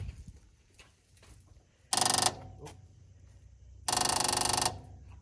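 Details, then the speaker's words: 1974 MGB parked 30 years, hot-wired without key by bridging fuse block terminals and connecting battery: two bursts of rapid metallic ticking from the electric fuel pump, taken as a sign of power; pump sounds dry, likely no fuel. "so that's the fuel pump I guess that's a good sign if it's sending fire to the fuel pump"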